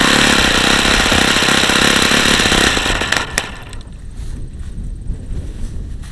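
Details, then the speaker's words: Saito FA-45 original ringless ABC four-stroke model engine on 5% nitro, bad bearings: steady high buzz at only 8,700 rpm versus expected over 9,500, running very hot, then quits; sounds tired, short of full revs. "I see the engine feels really hot already and it was only running at 8700 RPM and this engine should run well over 9 9500"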